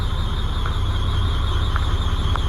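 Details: 1998 Volvo dump truck diesel just after starter replacement: deep, even rumble with a steady thin whistle on top and no knocks or misses; runs smoothly, normal idle.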